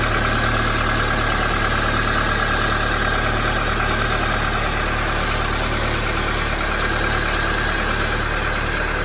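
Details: 2004 Toyota Corolla idling after belt tensioner replacement; the old tensioner was suspected of causing a growl when cold and put in gear: steady, even idle with no growl or squeal. Normal idle.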